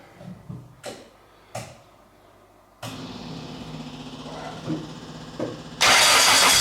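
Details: Classic 1.3 Mini track car after roller rocker replacement and corrected spark plug lead firing order: a few clicks, then catches and settles into an even, steady idle before a loud rush; runs healthy.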